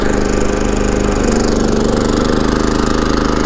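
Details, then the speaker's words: Champion 3400 dual fuel inverter generator in economy mode, under an approximately 1200 W heater load with settings being changed: a steady hum that dips and picks up slightly as the load shifts. Normal running under load. "It draws about 1200 watts of power, and it really exercises the generator good. I'll change the heater settings a couple of times."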